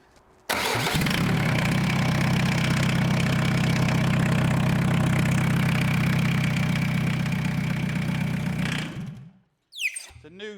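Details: Citroen Dispatch/Jumpy van with secondhand scrapyard Peugeot 306 diesel engine fitted, started after install with no exhaust fitted: short crank, catches at once, settles to even steady diesel clatter with no misses before shutdown; normal start.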